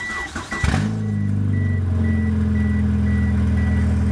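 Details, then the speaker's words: 1997 Mitsubishi Eclipse with a separated flex pipe that had been patched again and again: after cranking and catching, it settles into a loud, raw idle drone with a chime beeping, as the exhaust leaks at the flex pipe before the repair. "there is a repair in the exhaust that has been Jack legged on top of Jack legged on top of Jack legged and I'm unj legged it and I'm going to try and fix it"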